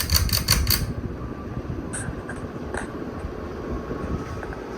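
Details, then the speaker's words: Old 52-inch Encon Contempra Supreme Hugger ceiling fan on high speed. Light clicks, then a soft even rush of air with no motor hum or rubbing. It runs quiet after the blades, which were nearly touching the motor housing and humming, were moved away. Faint bearing noise noted, slight wobble. "so I moved it here. So now the fan's really quiet. Now here's high."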